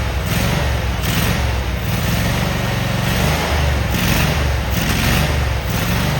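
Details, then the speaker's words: Cub Cadet Super 2284 tractor with electrical issues, test-fired with the rear cover off: deep, steady twin-cylinder rumble with a slight rise and fall in speed, no knocks or misses. Normal running. "but we're gonna fire this motor. You tell me if you think it's a good runner."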